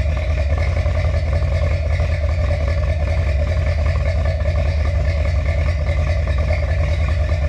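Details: Finished 1977 Corvette C3 with number-matching steel-crank 4-bolt-main 350 V8 after a two-year restoration: deep, steady idle burble with even lope through dual exhaust, no knocks or misses; healthy, smooth.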